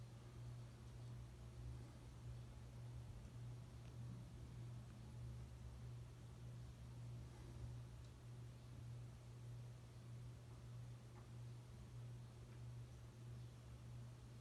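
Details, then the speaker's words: 1988 Dynasty 52-inch hugger ceiling fan, on medium speed; constant low steady hum under quiet airy background, motor humming most on medium while low and high barely hum, some vibration against mounting bracket and housing. "But yeah, it hums quite a bit on medium speed. And that's the speed it seems to be humming on the most."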